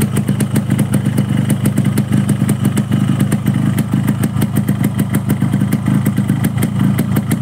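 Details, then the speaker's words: Two-stroke motorcycle being checked for sluggish pull, idling at about 1500 rpm after start. Crisp, even ring-ding beat that holds stable without rising or dropping: normal idle. "Ini motor tidak naik turun maksudnya suara mesinnya deng deng deng dengnya itu stabil ya teman-teman"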